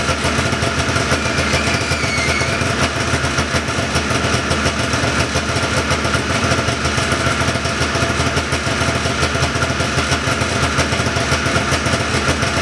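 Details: 1979 John Deere Cyclone 340 vintage snowmobile two-stroke after carb cleaning, no airbox or filter fitted: busy even burble holding steady, a little fast, no stumbles or dropouts; idling pretty good, could use slight adjustment; normal idle.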